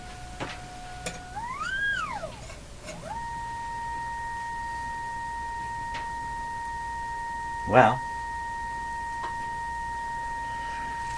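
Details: Canadian Westinghouse Model 577 radio with no output, field coil about 590–600 ohms and energized: after a brief sweep, a clean steady tone near 1 kHz at even level, showing speaker and field coil working.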